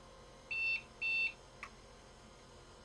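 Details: Compaq Deskpro at power-on with the setup partition missing, 80mm fan dead and a temporary fan blowing; two short high beeps about half a second each, then soft fan hum, a POST warning of unconfirmed cause.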